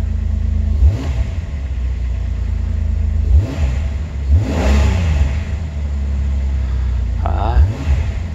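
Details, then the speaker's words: 2006 Jeep Wrangler TJ, 4.0 straight-six, at startup after an oil pump drive and cam sensor replacement for P0016; check engine light still on. Low, steady idle with quick throttle blips that rise and settle cleanly, not idling roughly. Normal idle and revving. "start up still got our check engine light on there doesn't feel like it's idling too roughly"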